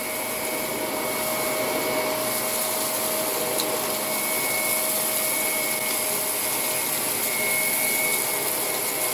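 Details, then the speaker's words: Ninja Shark vacuum after cleaning and reassembly, rollers kicking up and switched on and off by button; strong steady high motor whine with even airflow rush, no rattles or pitch dips; normal running. "And now, when I go put back, you can hear the fans kick up, or the rollers kick up."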